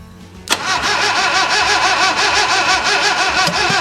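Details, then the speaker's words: 1966 Datsun 520 abandoned for 40 years, cranked on starting fluid after carburettor fuel sight-glass checks. Steady starter churn with uneven combustion catches that never pick up into a run; it's trying to fire but won't start. "It's definitely trying to fire the fuel."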